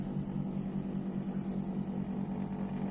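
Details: Split air-conditioner outdoor unit on a 38°C day, cover off, original fan-motor capacitor. The fan starts slow with a low labouring hum and soft fluttering tick. The failing run capacitor lets gas pressure rise, tripping high-pressure protection and cutting the compressor.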